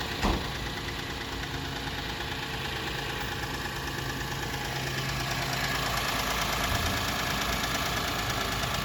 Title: Mid day lights on auto/diesel engine knocking